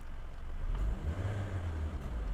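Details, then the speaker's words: Suzuki Ciaz after throttle-body cleaning without an ECU reset, fixing sluggishness and a low, shaky idle: low steady hum settling after a throttle blip, no surging or stumbling, at 700 rpm with AC on or off. Normal idle. "ลงมาปกตินะครับอ่านี่นะครับรถไม่มีอาการสั่นไม่มีการสะดุดรอบอยู่ที่700รอบนะครับในขณะเปิดแอร์และปิดแอร์นะครับ"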